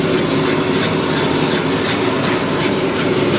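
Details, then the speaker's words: Subaru BRZ rear wheel turning during used car inspection: steady rough grinding with a faint hum, suspected worn rear wheel bearing rather than the differential, plus brake scraping noted on drive. "but I'm pretty sure this wheel bearing is back too if you can hear that sounds like it's grinding"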